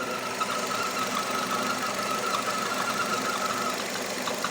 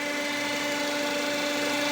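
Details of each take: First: Nissan Terrano / Renault Duster, new car with 47,000 km, idling: thin wavering squeak over the engine, seeming to come from flywheel/release bearing area but actually caused by the crankcase ventilation valve. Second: Nissan Terrano / Renault Duster petrol, 47,000 km, idling evenly with a steady hum after a squeak near flywheel area; squeak disappears with dipstick pulled, releasing crankcase vacuum, blamed on crankcase ventilation valve.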